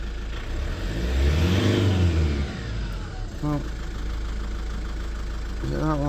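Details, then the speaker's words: Lexus IS220d diesel after cleaning and refitting the EGR valve that caused limp mode: a smooth, clean rev, even idle, then quick blips without hesitation. EGR working; normal revving after repair. "Short clean up. Uh exhaust gas recirculation working and she's revving obviously."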